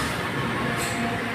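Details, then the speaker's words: Espresso machine steam wand fully submerged in the milk pitcher: steady, even rumble with no sharp hiss, normal proper milk steaming. "when you hear the hissing sounds you need to submerge your picture so that uh you will have a good steaming"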